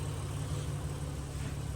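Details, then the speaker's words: Ford BA Falcon drift car with freshly swapped green top Barra six-cylinder, 25% underdrive pulley, after 20-25 minutes idling with coolant bled; steady smooth low rumble, no knocks, ticks or misses. "She's been running for a good 20 minutes, 25 minutes, just sitting here idling. Everything sounds good."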